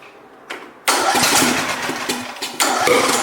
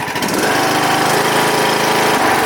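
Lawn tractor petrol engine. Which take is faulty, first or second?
first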